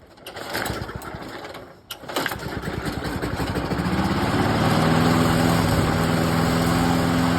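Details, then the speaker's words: Craftsman 6.75HP self-propelled lawn mower, gas and oil checked, primed about ten times: it stumbles and nearly dies after catching, then picks up unevenly to a steady buzz. Carburetor suspected, not confirmed. Hard starting and erratic running. "It kind of runs runs like Will maybe start, maybe won't."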